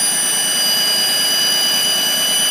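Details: GM 3400 engine after a gasket change: loud steady roar with high whistling tones, seeming to come from the right side of the engine; owner suspects a loose exhaust, cause not confirmed.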